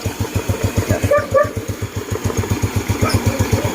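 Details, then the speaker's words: Yamaha Mio Sporty scooter, still cold, after reseating and cleaning the loose airbox-to-air-filter hoses: quick, even single-cylinder idle that no longer dies; previously it stalled or flooded when revved. "medyo malamig pa mga lodi pero ayan medyo maganda yung menor niya mamamatay na hindi."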